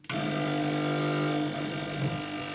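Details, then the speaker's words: Newly bought, partly damaged 852D+ SMD hot-air rework station: loud steady buzzing hum as its air pump switches on, noisier than the expected fan; pump also runs an after-cycle to cool the handle. "the thing is that in it's it's quite noisy and i was expecting it to be more like a fan inside that puts air through the um through the nozzle but it seems more like it's a"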